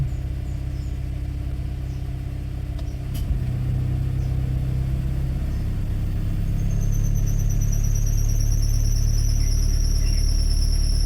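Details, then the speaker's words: Suzuki APV cold start, engine idling at low temperature: shrill, steady high squeal when the AC is switched on, stopping when AC is off; loose belt tightens and goes quiet once warm, even with a new belt. "Naririnig niyo yung ingay ano? Ang ingay. Parang nakakangilo siya na ingay. Pag pinatay natin ng aircon nawawala rin yung ingay."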